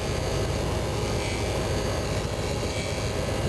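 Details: Carbureted RV V8 with rebuilt carb, idling: low even rumble with faint steady hum, no miss or tapping; owner hears the fuel pump sounding different and suspects a leaking clamp dripping at the pump.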